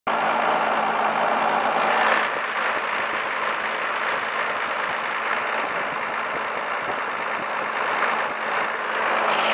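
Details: 1st-gen Cummins diesel idling roughly with lumpy, irregular clatter after the injection pump was re-sealed; cause unknown.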